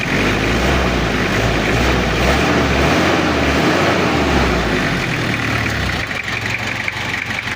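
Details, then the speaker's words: Toyota Kijang diesel with a history of overheating, after cylinder head service and injection pump timing set to zero: clatters through a blip, then settles into a slightly lumpy, uneven idle because the cylinder liners are pitted and scored. "jadi suaranya ini ada sedikit beda gak rata karena liner boringnya agak ngantong dan agak baret"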